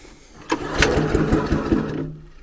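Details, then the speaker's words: Viking garden shredder, freshly fuelled with a new spark plug and greased blades: a few pull-start bursts with a rough chuff that never catches; cranks without starting, choke possibly needed. "Oh. That's dubious, isn't it? Oh my life. Well, that sounded like that was going to start. Will she start?"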